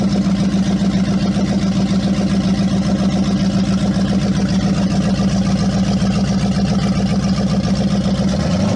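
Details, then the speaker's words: Replacement Hemi V8 in Jeep, first start after priming: deep, even idle with steady low thrum, no knocks, ticks or misses; 75 psi oil pressure, exactly as needed, healthy. "that sounds strong 75 pounds of oil pressure that's perfect yeah that's exactly where it needs to be"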